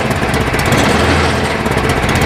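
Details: Cub Cadet 1030E snowblower, 10 hp electric-start engine, carb needs cleaning: single-cylinder runs steady and even at fast idle, no knocks, misses or rattles; normal running.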